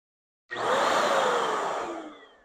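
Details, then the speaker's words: 700W HVLP electric paint sprayer run dry with no paint in it: strong steady airy whoosh spinning up then winding down, even turbine rush with no rattle; described as powerful, motor healthy. "So I don't have any paint in it right now, but I just wanted to kind of turn the motor on and let you hear it and dry."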